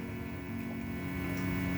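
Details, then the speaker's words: Modded guitar through a Peavey Raptor twin rig, neck pickup selected, no strings played: steady low constant-pitch hum under everything; 60-cycle mains hum. "So you notice that 60 cycle hum. I'm not sure if you can hear that. I can hear it, but anyway, that is the neck position."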